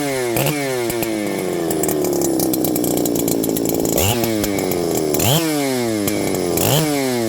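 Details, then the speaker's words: Husqvarna 394XP chainsaw that previously had no spark: revs up cleanly on gentle throttle, but each sudden throttle stab makes the pitch sag and stumble as if wanting to die, several times. Bogging on sudden throttle. "if I give it gentle throttle and kind of Let It Go it'll rev up and hit some RPM if I stab the throttle it bogs and wants to die"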